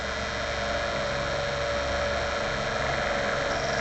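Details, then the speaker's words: DC solar fan after long use: steady whirring rush with a thin constant whine from the motor, caused by dust buildup and lack of grease or oil inside; fix is opening the fan and adding grease or oil. "শুনতে পাচ্ছেন আমার ফ্যানটি থেকে এ ধরনের শব্দ তৈরি হচ্ছে এটা হয় মূলত ফ্যানটির ভিতরে যে মোটরটা রয়েছে সেখানে ধুলোবালি জমে থাকার কারণে আর সেখানে পর্যাপ্ত গ্রিস বা অয়েলের অভাবে এই সমস্যাটা মূলত দেখা দেয়"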